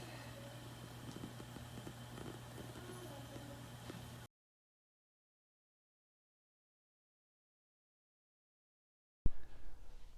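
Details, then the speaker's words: Hunter Echo Bluff 51089 ceiling fan, fan controller and receiver reinstalled: a steady low electrical motor hum holds for four seconds on the slow setting, then the fan cuts out; the hum was also present without the controller. "it is a pretty noticeable hum so let's put the fan controller and receiver back on and see if it makes a difference"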